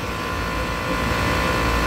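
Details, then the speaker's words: Commercial HVAC unit with faulted cooling circuits, Copeland compressor with CoreSense: second compressor clicks in and runs with steady even hum, no clatter; seven-flash fault cleared, normal running. "so i think this is the first second compressor it just started just clicked in"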